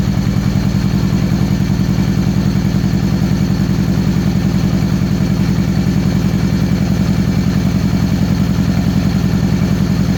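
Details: 2013 Victory Cross Country supercharged V-twin after sitting over a year: lopsided lumpy beat at about 3.5 pulses a second, firing on one cylinder. The front cylinder stays cold despite the plug wire swap, so a different coil and plugs are next.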